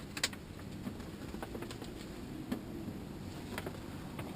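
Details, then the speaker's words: Furnace blower motor on a no-heat call: steady low hum with irregular sharp ticks as paper from a filter left in place gets sucked in and strikes the fan blades, leaving marks on them. "you can actually actually see the marks on the fan blade where the where the paper was hitting the blades"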